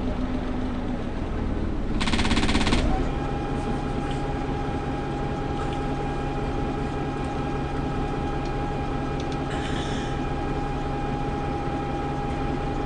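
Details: Preserved GM Buses MCW Metrobus Mk1 5120 (SND 120X) diesel, 2012 running day: low steady idle with slightly uneven, lumpy beat; known idling problems, bad diff, sometimes won't engage third gear; rough idle, cause unclear.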